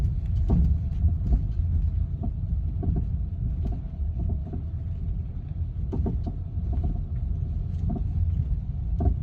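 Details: BMW F30: deep steady rumble with sharp knocks at uneven intervals, roughly one or two a second; knocking source unknown.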